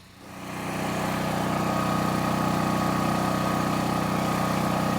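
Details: Harbor Freight Predator 13,000W generator on propane (100-lb tank), cold weather, after sitting unused over a year, about 20–30 minutes in: steady, even drone with constant pitch, no knocks or hunting, running healthy.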